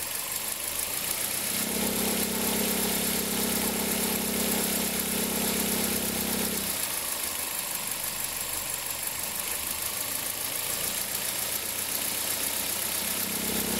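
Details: 2003 Toyota Corolla, cold engine: a droning, rough tone at the accessory belt tensioner swells over the idle, fades and returns. It appears in reverse with a small throttle blip and occurs only cold. Worn belt tensioner bearing.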